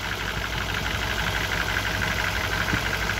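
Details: 1994 BMW E34, M50B20 engine with VANOS and automatic transmission, at idle: light, regular tapping about three per second, not the hydraulic lifters; chains, tensioner guides new, no oil consumption; present for several years without worsening, source unclear.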